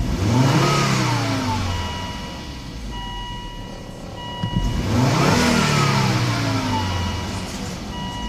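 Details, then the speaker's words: 2002 Volvo S60 2.4T five-cylinder turbo, just after a spark plug change: two clean rev blips rising smoothly and returning to a steady idle, with no misfire. The turbo seems to work. Normal revving. "like the turbo is working so the engine starts so that's a good sign think we're running good"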